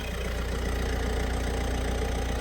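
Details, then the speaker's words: Peugeot/Citroën 1.6 HDi (BHY) diesel van that would not start with codes P2669/P2670, after replacing the faulty thermostat housing with integrated electronic module: low, even diesel clatter at steady idle, no misfire or knock; now starts normally, warning lights remain. "Oh, yeah, boy. Okay, so we got some warning lights though, but it now starts like it's supposed to."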